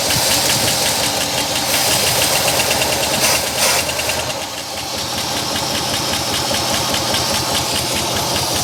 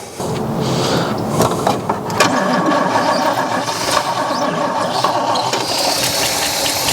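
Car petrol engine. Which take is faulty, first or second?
second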